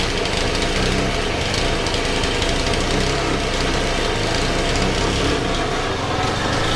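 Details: Honda FG110 tiller with GX25 engine, owner-fitted Amazon carb, ran only on choke, oil-soaked filter: constant rough busy drone never settling to a clean slow idle; poor idle and bogging, suspected untuned carb.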